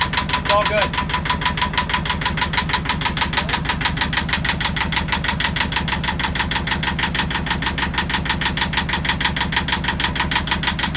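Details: Yanmar marine diesel on a sailboat at its first start after fresh diesel, new batteries and priming: steady, evenly spaced clatter at about three beats a second with no stumbles, running cleanly. It ran about five minutes, then stalled from air in the fuel lines.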